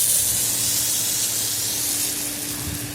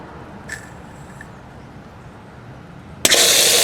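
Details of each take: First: In-ground sprinkler system being opened for spring, zone five last head after cleaning: steady, even hiss of water spraying with no sputter or gurgle; head firing well, zone working normally. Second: In-ground sprinkler system being opened, zone one running while flushing the line through a valve: quiet line, then sudden pop and harsh rushing spurt of water; seal in the valve suspected, not confirmed.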